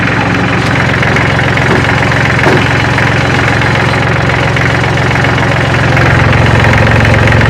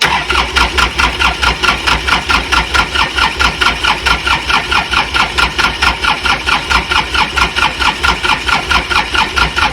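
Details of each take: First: Kubota L3400 diesel tractor, engine still warm so no glow plugs needed, after getting it running: even idle with usual steady clatter, three to four beats a second, no misses; runs healthy, still uses manual shut-off. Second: Hard-used Kubota L3400 diesel tractor: starter churns steadily at about four even strokes a second with no firing catching; cranks but won't start.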